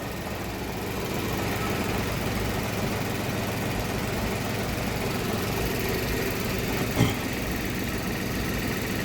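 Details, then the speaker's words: 2015 Ford Ka 1.0 three-cylinder, towed in cranking but not starting, after replacing the sooted upstream oxygen sensor (B1 S1): even idle with steady low rumble, no misses or hunting; engine running noticeably better. "Sonda velha substituída, sonda nova instalada. Até o funcionamento do motor já é outro, né?"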